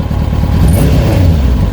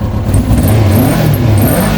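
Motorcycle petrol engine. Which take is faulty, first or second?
first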